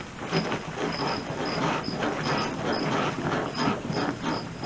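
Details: 2000 Dodge Durango during maintenance, front end bounced by hand after the rear was fixed: short high rubber squeaks repeat roughly every half second; only bushing squeak, suspension otherwise sounds normal.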